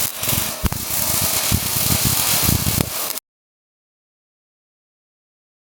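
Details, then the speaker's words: ARCPEX MIG200 MIG welder with voltage set too low for the wire speed: an uneven popping arc, three or four pops a second over crackle, a slow struggling sound; the fix is turning voltage up. "How do you know if voltage is right? Go back to the listening test. Sharp spot of frying bacon too hard. Turn voltage down. Slow pling machine struggling."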